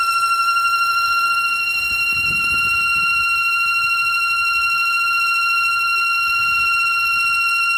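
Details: 2007 Audi A3 8P at idle: constant high-pitched wheezing whistle holding steady over a quiet idle, from a failed PCV valve.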